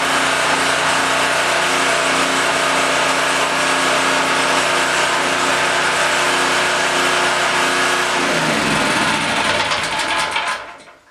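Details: Blue Max Gen4000B generator, sat unused a few years, carburetor replaced, after cleaning, clearing fuel paths, opening valves and fitting a clean spark plug: small engine holds a steady high buzz about eight seconds then winds down; running normally.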